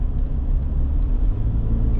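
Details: Gen 2 Ford Raptor driving after dealer replaced both cam phasers (earlier power loss and check engine light): deep steady rumble with road noise, no misfire, stumble or ticking; engine sounds healthy.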